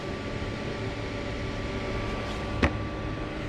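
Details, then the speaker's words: Dreiha 12/24/110/220 V mobile cooler on 14.1 V supply, display wrongly showing 40 degrees (faulty temperature sensor suspected): soft steady hum with a faint constant tone and one brief click; compressor starts and runs evenly, healthy. "yes and i can hear it started i don't know if you can hear it the compressor is working"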